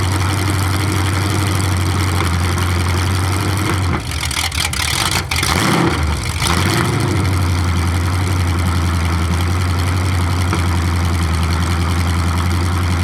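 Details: 427 big-block Chevy V8 on an engine run stand, first fire after a very long time unrun, distributor timing just adjusted: deep, even open-header idle, one quick throttle blip settling back stable; sounds really good.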